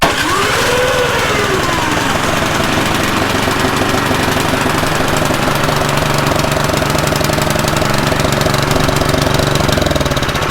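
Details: Snowblower, previously a no-start, in its final test run after full reassembly with a few bolts left over: it catches and settles into a fast, steady chugging run at an even pace without misses, and is running properly.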